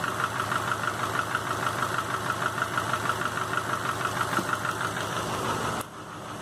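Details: 2005 Subaru Legacy GT rebuilt (refurbished block, new crank and bearings, used rods/pistons and heads) after spun rod bearings; warm idle oil pressure 22psi, new plugs, no exhaust leaks, used VF40 turbo: sharp regular tick-knock about three per second at idle, cause unknown.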